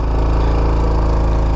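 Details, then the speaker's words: 2021 Honda Trail 125 (CT125) with its front tire against a rock and the brake held: steady mid-rev drone under load, no knocks. The soft clutch slips as designed while the rear wheel stays held, which is normal. "that's what i mean that clutch is slipping because that rear wheel is not spinning"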